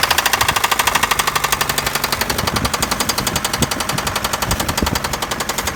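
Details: Daewoo Nexia engine knock: rapid, even metallic tapping over the idle the whole time, steady in rate; clear internal knock, source not yet pinned down.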